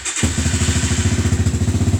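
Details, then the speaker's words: Atomik 250 Pro X bike after two weeks of work, carb fixed by fitting a fatter needle after main jet and needle-clip changes failed: button start, catches right away, even idle about eleven beats per second, no misses; healthy. "put the fatter needle in it just fixed it that ribs plane now it starts like a tree you flick the key you hit the button"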